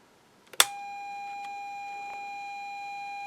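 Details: INTER Kenya transistor radio under repair (three RF transistors replaced, a degraded 300 pF capacitor found), volume potentiometer now regulating; after a click, a clean steady mid-pitch test tone holds evenly, audio stage passing signal properly.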